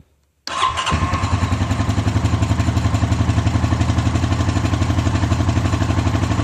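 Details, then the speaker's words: 2013 Honda Rancher 420 ATV, 19,000 miles and 1,900 hours, started after stator replacement; fires instantly into smooth, even single-cylinder idle; charging 14-plus volts, stator working; normal. "and the stator's working. We're getting 14 some volts, so we're good to go."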